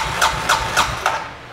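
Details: 2007 Suzuki King Quad ATV that died and wouldn't restart, airbox off, injector seen pulsing: about five evenly spaced cranking pulses, three or four a second, then stops without catching; crank-no-start from weak spark.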